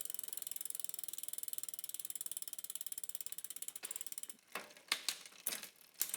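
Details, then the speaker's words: Bicycle with rear derailleur, B tension screw being adjusted: rapid even freehub ticking as rear wheel coasts, a few light shift clicks, drivetrain quiet and shifting well; normal freewheel and drivetrain. "Man, I wish my wheels spun like that on So this freaking is Esmeralda. extremely quiet and it's shifting extremely well despite what I do with the B tension screw."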